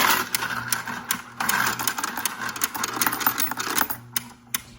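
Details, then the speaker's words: Royal Sovereign Quick Sort coin sorter after about 14 months of use, run button pressed with coins: busy coin chatter and quick, uneven clicking over a light motor hum; the normal anti-jam action. "So what it is if you click run right here, the little button right here, you will hear like this clicking noise, and that's normal."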